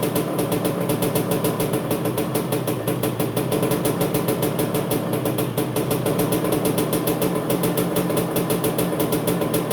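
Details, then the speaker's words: 1985 Honda CR250 barn-find two-stroke first start after rebuild, smoking from engine oil used to lubricate the cylinder: crisp, fast, even popping at steady idle with no misses or knocks; runs cleanly and healthy. "well what do you know guys she fired up she's making a lot of smoke from all of that uh that engine oil that I used to lubricate the cylinder when I put it all back together"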